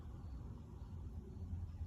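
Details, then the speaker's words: 2006 Thomas HDX school bus diesel that died with no crank, no start, now running on a jumper ground wire bypassing a disconnected white ground wire: low, even rumble with no misses, knocks or stumbles; normal idle. "I run the jumper ground, and when I do that, everything fires up and runs perfect, no errors anywhere."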